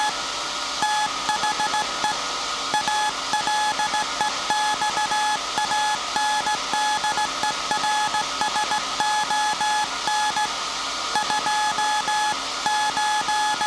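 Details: SAQ Grimeton 1924 Alexanderson alternator, 17.2 kHz VLF CW centennial transmission, punched-tape transmitter soon handing over to manual telegrapher keying; clean steady high tone keyed in Morse dots and dashes at an even pace; normal sending.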